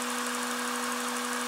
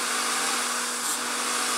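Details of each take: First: Honda/Acura J-series V6 after fuel pressure regulator replacement: it first sounded like a vacuum leak from a forgotten intake line; after reconnecting it, a steady, even idle with a smooth wash of engine noise, faint constant hum, no hiss. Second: Honda/Acura J-series V6 at idle right after a fuel pressure regulator replacement: a loud steady hiss over the idle hum, a vacuum leak from a line left off the intake manifold. Reconnecting it fixed the sound.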